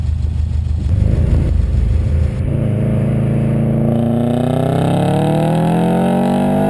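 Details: 2008 Subaru STI under full throttle, loud raspy pull with pitch climbing and rough puffing edge from exhaust leak at the downpipe-to-catback junction; noise under car at idle, at rear at WOT.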